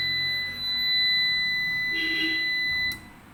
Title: Ups long beep sound problem